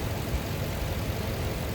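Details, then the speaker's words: 2004 Lexus GX470 after replacing the serpentine belt and a weak tensioner that caused a squeal, usually when cold: low, steady idle with no squeal or chirp, so the belt drive sounds healthy. "It looks like it's running smooth."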